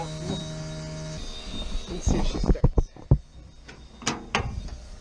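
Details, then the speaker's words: 1977 Toyota Celica, crashed and stored seven years, with a newly installed Amazon fuel cell: key cycled on gives a steady low electric hum for about a second, then stops; fuel pump priming normally. "okay well I'm Gonna Leave You back here if I cycle the key on and let's see if we can hear the pump oh yeah definitely"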